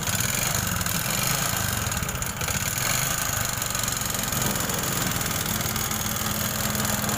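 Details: Honda Supra X 125 single, idling: harsh, rattly clatter over an uneven beat, worse when hot; engine to be stripped.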